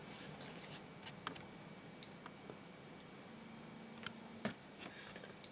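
Sharp, random clicks, roughly fifty a minute, over faint steady hiss; the counter is responding normally to the radioactive sample.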